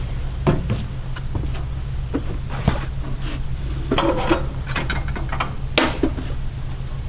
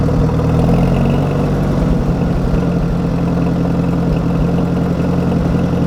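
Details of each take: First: 1961 Oliver 550 tractor after cleaning the Marvel Schebler carburetor, old bad gas still in it: cranking with uneven catches, then runs on a low rough beat, rising unevenly; hesitates on throttle. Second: 1961 Oliver 550 tractor after cleaning and adjusting its Marvel Schebler carburettor, old gas still in the tank: a low, fairly even idle thump around three and a half beats a second, slightly uneven but steady. It now takes throttle decently.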